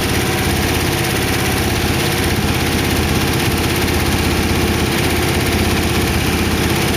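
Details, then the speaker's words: Warm idle of a 1914 Dodge T-bucket roadster V8 with carburetors and mufflers fitted, after first start: steady and even with no knocks, ticks or uneven firing. Good oil pressure; the lifters ticked at first start, then calmed down. "the lifters were ticking when I first started it they calm down I really want to run it much more risk when having water in it sounds good"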